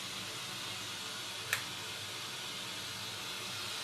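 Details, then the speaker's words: Bang & Olufsen BeoCenter 5000 powered through a 40 W dim-bulb tester during tone board testing: a loud, even hiss with one brief click. It is static from the speaker, confirmed as radio static. "sounds like radio. That is definitely radio static."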